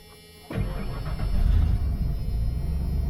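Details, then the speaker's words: Church van start-up after patching the exhaust: engine catches at once and settles into a deep, loud, even rumble with no stumbling; clean start. "the engine's running right now you probably hear it a little bit [Music] yeah it's running and it actually does sound pretty good"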